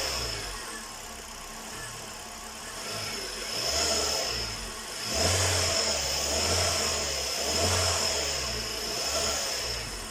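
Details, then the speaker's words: Hyundai Solaris after chain and roller replacement chasing an engine knock: even idle with light regular injector tick, clean smooth revs with no knock; engine now sounds healthy. "но как видим никаких шумов так ботва подытожим что хотел сказать все хорошо что хорошо кончается"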